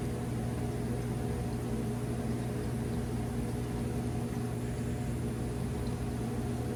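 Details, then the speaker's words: Hoshizaki 150 undercounter ice machine: water filled and compressor kicks on, steady low hum with even mechanical drone, no knocks or rattles, going into harvest first; normal ice machine fill and compressor start. "Right, our water filled up. Our compressor just kicked on."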